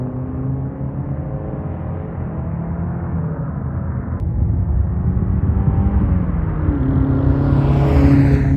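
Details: Saab 900 turbo after new spark plugs, distributor rebuild and ignition timing set to fix a warm-idle misfire: strong, even exhaust note climbing under load with burbles on lift-off; no misfire, boost improved.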